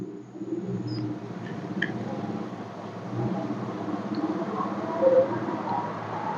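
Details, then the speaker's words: Electric fan after its guard grille was refitted properly, running smoothly with a steady low whoosh and hum and no rattle; the earlier clacking came from the grille being seated poorly after washing. "อ่ะอันนี้ก็หายแล้วนะครับสาเหตุก็คือที่มันดังนะครับบางทีที่เราถอดตะแกงไปล้างเนี่ยอาจจะใส่ไม่สนิทหรือใส่ไม่ดีก็จะเกิดอาการดังได้นะครับ"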